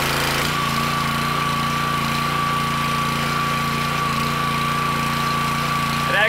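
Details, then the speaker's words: Petrol pressure washer that would not let off high pressure when the wand trigger was released; owner suspected the unloader valve. Steady small-engine drone, then the note shifts cleanly near the end; the valve now moves and relieves pressure normally. "does seem to be working i don't know what happened it was stuck for a second now i can actually see the valve moving and that's the way it's supposed to shut down"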